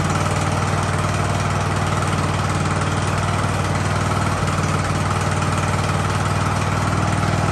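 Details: Ariens hydro-drive riding mower, sat at least two years, in about 30-degree cold: steady, even low thrum at idle with no hunting, surging or stalling; engine idles smoothly, normal idle.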